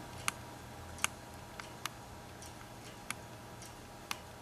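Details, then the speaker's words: Hard drive that failed after a power cut while the computer was running, connected by USB2-to-SATA cable during data recovery: sharp isolated clicks about once a second over a quiet hiss, transfer stops; click of death. "no it's making the clique of death hopefully you guys can hear that for a minute - not transferring anything"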